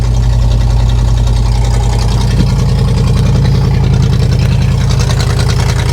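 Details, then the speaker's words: 1976 Chevrolet K20 3/4-ton 4x4 truck, 350 V8 cold start after sitting; very loud, raw, pulsing idle because the back of one muffler is blown out, leaking exhaust. "to mention to you guys just uh the back of one of the mufflers is blown out. I did see that. It's extremely loud."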